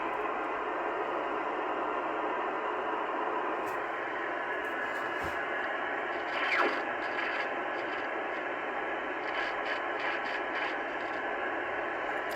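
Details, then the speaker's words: 80s ham radio with a scratchy, noisy volume pot (a double gain control), to be sprayed with a petroleum/fish-oil type spray instead of DeoxIT: steady radio hiss broken by scattered scratchy crackles and pops as the knob turns. "So this can be kind of controversial, I guess, but this is what I do with scratchy, noisy pots."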